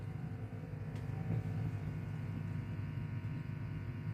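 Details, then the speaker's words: Vox AC30/6TBX valve guitar amp in for service, current limiter switched off during voltage checks: steady low mains hum rising, with an uneven rumbling underneath; amp has serious noise issues. "So, I'm just going to flick it off the current limiter while I check the volt and you can hear hear the humming come up there. Going on there. Yes, there's a bit of rumbling there as well."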